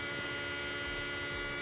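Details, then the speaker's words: 2010 BMW 535 xDrive electric water pump running after the water pump and thermostat were replaced: a smooth, even, jet-like hum with a steady pitch and no rattle. Normal. "you hear that that's how your water phone sound like a jet"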